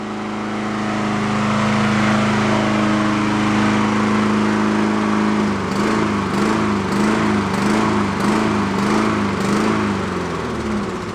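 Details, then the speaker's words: Honda mower whose carburetor has been cleaned twice: smooth on choke, but off choke the speed rises and falls about every half second. It is hunting from a clogged idle circuit, and idle mixture adjustment makes no difference. "right now it's on choke you hear it kind of uh running fairly smooth if I come off the choke you'll see hear it start"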